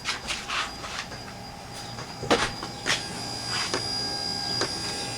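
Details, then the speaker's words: 2000 Honda Civic wipers switched on: steady electric motor whine with scattered light clunks but no sweep rhythm; the wiper motor works but a linkage arm may have come off. "because I could hear the motor working inside sound like the motor working but uh yeah there's a arm right down in there"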